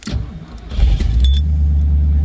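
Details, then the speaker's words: Sebring 500 cold start, temperature gauge down, Flowmaster mufflers under 1,000 miles old: catches on the first crank into a deep, steady, throaty exhaust rumble with no misses, idling about 800 rpm; normal cold start. "it is starts right up with first crank you can hear the exhaust from the flowmaster mufflers which are almost brand new less than a thousand miles"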